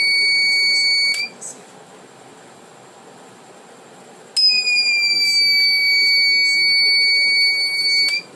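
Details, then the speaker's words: Reliable 03 inverter on bench, supply at 1 A: short cleared but no PWM generated; steady high beep about three seconds, three-second pause, repeats, alarm with no output, oscillator stage faulty. "O curto saiu. Não está dando mais curto, mas também não gerou PWM."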